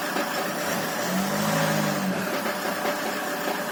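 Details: Land Rover Freelander 2 diesel idling with an uneven knock, about two or three a second, over the engine clatter; cause unclear, with valves, rockers, injectors, compression and timing marks checked OK and no fault codes.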